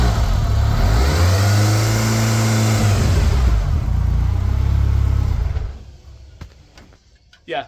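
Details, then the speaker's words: Steady whine from the gearbox rising and falling with each rev over the engine note, gone when the clutch is pressed; came on suddenly after a short drive, owner doubts it is the release bearing; gearbox whine, cause unconfirmed. "there's a fairly serious whine coming from the box now if I press the clutch it goes away"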